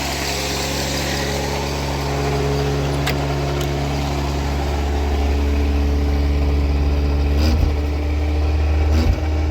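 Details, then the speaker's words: Wrecked 1988 Ford Ranger runs again: low, steady idle hum, even for nearly ten seconds with no stumbling or misses; normal idle. Brakes out from failed master cylinder. "Alright, she runs."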